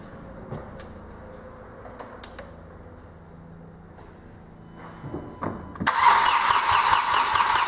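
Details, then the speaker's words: Hyundai i20 1.1 CRDi diesel (~70 hp) after rebuild of a seized, knocking engine: clicks and cranking with air in the fuel system, then it catches and settles into a steady, even idle without knocking; injectors still adapting. "chwilkę sobie pochodził pozostał temperaturę wtryski Już się prawie zaadoptowały jeszcze nie do końca ale to też dzisiaj pojazd już sobie ładnie pracuje"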